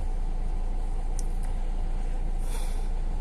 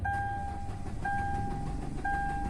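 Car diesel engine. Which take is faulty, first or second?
second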